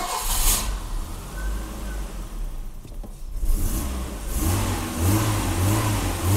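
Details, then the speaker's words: 1984 BMW 318i, M10 engine, 65,000 miles, new distributor, just after the idle control valve was cleaned and actuated. Revs dip and surge at 600–800 rpm and sag to a lumpy near-stall idle. Owner suspects a bad idle control valve. Erratic idle. "That idle is a much different story. The hell's going on here? Well, this is funky."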